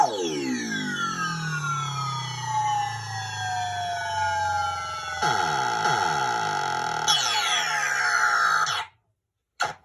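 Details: Williams Black Knight pinball sound board, repaired by replacing a faulty 6821 PIA and running Leon's System 3–7 sound test ROM: each input grounded in turn answers with clear swooping electronic tones and sweeps; sound output is working properly.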